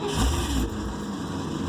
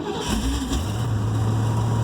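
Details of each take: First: Project vehicle, after the fuel pump primes and the idle air control valve is heard: brief flare of engine noise that dies within a second. Cranks but won't start; the owner hopes it is air in the fuel lines. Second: Project vehicle's engine catches after a short crank with a hint of gas while possible air remains in the lines, flares briefly, then settles to a smooth, even idle set at 775 RPM; healthy idle.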